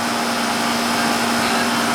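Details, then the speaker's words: 18-year-old Goodman AC condenser, checked because the house wasn't cooling, after setting the charge (subcooling about 13, superheat about 17-18): a steady, even fan rush over a constant low hum with no rattles or surges; warm air out the top and a cold, sweaty suction line, so it is running healthy. "You know, you can see how it's running. See how it's nice and warm coming out?"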